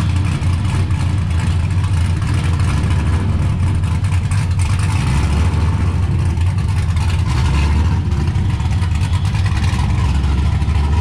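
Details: 1969 Camaro with swapped LS V8 and T56 from a GTO donor, built nine-inch rear, started after a couple of months sitting, following ride-height shackle fix; deep loping V8 burble with throttle blips, firing steady and even; sounds good, normal idle and revs.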